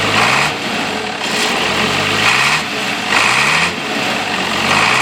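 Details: International 856 tractor idling after fitting a new straight-pipe exhaust (no muffler, shortened by a foot): loud, open, raspy note with an even repeating pulse and no knocks or misses; healthy normal idle.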